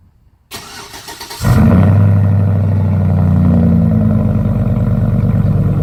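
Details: 2004 Chevrolet Suburban V8 with Dynomax bullet race muffler, new power steering pump, cold start after sitting a week: brief crank, catches and settles into loud even idle, no misses or knocks; normal healthy cold start.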